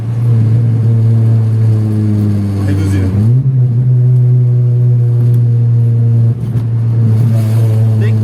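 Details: Vectra after fixing a severe misfire, driven at night uphill with hard accelerations: strong, even engine note climbing cleanly through hard revs with no stumbles or missed beats; normal acceleration, no misfire.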